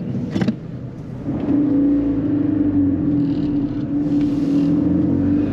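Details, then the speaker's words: Fiat 500 TwinAir with blown engine, limping slowly around a corner sounding unhealthy: steady mid-pitched hum rising as it rolls, heard as the brakes, possibly dragging. "Just get me around the corner, please. What, can you hear the brakes?"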